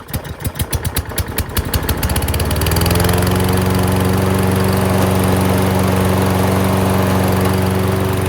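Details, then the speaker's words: Self-propelled lawn mower, oil looks clean, restarted to test the self-propel, which works: single-cylinder engine pops a few slow beats, catches, then settles into a steady, even drone. Normal running. "But it's a good runner already. I haven't even tested the self-propel yet on it."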